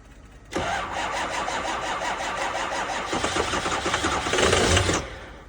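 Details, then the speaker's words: 2005 6.0 diesel, cold start at 15°F in New York, on two batteries and a jump pack: steady, even starter churning about four beats a second, never catching, almost starting; cranks but won't fire, cause not confirmed. "And that's that, bro. They don't always start. That's 2 batteries and a jump pack. It almost went."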